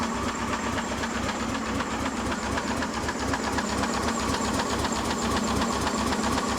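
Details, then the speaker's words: Old Ford 260 V8 Mercury with new lifters, distributor thought to be off a tooth: quick even ticking about four a second while lifters start to oil, fresh lifters clattering until filled with oil. "Looks like everything's oiling though, that's always good. It looks like the lifters are starting to oil, so that's good."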